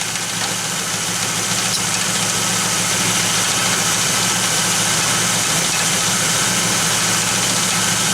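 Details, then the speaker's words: Third-gen Firebird V8 at idle, with a freshly rebuilt 1985 Quadrajet carburetor: a steady high-pitched whine from the front accessories disappears when the serpentine belt is removed. The owner suspects the water pump; not confirmed. "That noise right there, still there, but it's gone as soon as I take off the serpentine belt."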